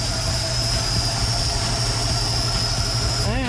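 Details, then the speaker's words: 1965 Mustang Ford V8 with a rebuilt Holley 4010 carburetor idling at about 750 RPM with 14 degrees initial timing; a thin steady whistle over the idle rumble from a suspected vacuum leak somewhere on the carburetor. "you hear that that Whistling noise I'm not sensoring of the vacuum leak somewhere on the carburetor"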